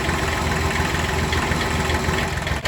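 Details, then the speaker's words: Kubota B6100 diesel tractor idling in gear with the clutch pressed: an uneven rattling knock that stops in neutral or out of gear, which points to a worn clutch pilot bushing (initially suspected as the pilot bearing). "Take it out of gear, it goes away. And the clutch is fully in and it's rolling. That's another symptom. Okay. And nothing when it's in neutral. Clutch in and out. So it's got to be in gear, and it's when you press the clutch down that it happens."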